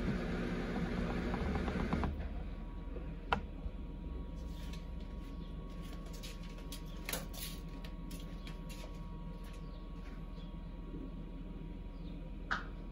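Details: Samsung Eco Bubble WD106UHSAWQ washer-dryer on a 2-hour timed drying of a blanket, panel sitting at 1 minute remaining for several minutes: quiet steady low hum with soft occasional clicks as the drum turns; normal drying cycle.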